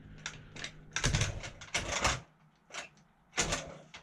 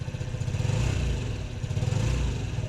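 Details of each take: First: 2008 Honda Ruckus scooter after sitting unused over 5 years, fresh gas and starting fluid: sputtering bursts that catch and die, then uneven lumpy running; carburetor jets found clogged. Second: 2008 Honda Ruckus revived after sitting over five years, with fresh gas and cleaned clogged parts, still cold: low, slightly uneven putter at steady idle, a touch choppy only from the cold. Normal cold idle.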